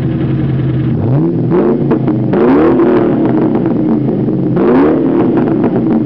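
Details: 2001 Ford Mustang GT convertible before rebuild, rough-running engine revved in short blips: heavy rhythmic knock that quickens with revs; rod knock.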